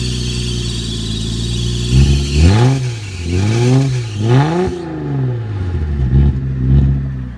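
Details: Car with exhaust taken off and dumping before the planned straight pipe: raw, blatty roar with deep rumble swelling on each throttle blip and dropping back; open exhaust, no muffler.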